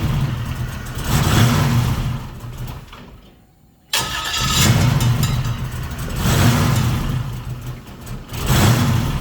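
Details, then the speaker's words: 1940 Ford pickup with 4L60E transmission, cranking with an aftermarket SFI flex plate: repeated cranking bursts with a gritty scraping edge; the starter Bendix is touching the flex plate despite clearancing the starter; fix is to shim the starter or fit a stock flex plate. "can see it's touching the Bendix. So either I got to shim the starter or get rid of this flex plate."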